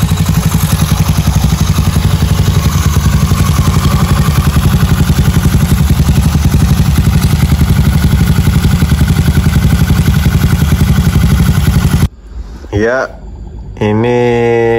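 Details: Freshly rebuilt Honda Beat carbureted 130cc, stock valves, new piston, first start for break-in without revving: fast, even putter held steady about twelve seconds, no knocks or rattles; smooth healthy idle.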